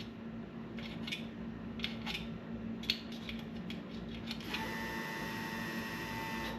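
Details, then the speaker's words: Truck with ACES EFI and Killshot timing control that randomly shuts off while driving: light taps, then a steady fuel pump whine as the ECU sees the distributor signal, but the timing light doesn't flash. The owner suspects the ECU is bad. "there you heard the fuel pump again so the ECU is seeing the signal from the distributor it's kicking on the fuel pump but it is not causing the light to flash which it should"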